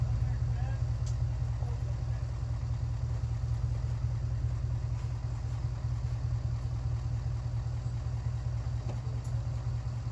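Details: Cold start attempt on 1967 Mercury Park Lane, 410 Ford FE engine, on jumper cables: low laboured starter churn about two and a half turns a second, no catch; battery deader than thought, spark possibly inconsistent.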